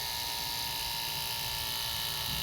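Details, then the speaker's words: 2008 Mitsubishi Pajero 4M41 turbo diesel with a hydraulic brake booster, during key-on testing after a loss-of-assist repair: steady high electric whine as the pump cycles on to compensate for brake pedal use; normal booster pump operation. "I can hear the hydraulic has come on just to compensate for what I'm doing it's off It's On Again just as intended"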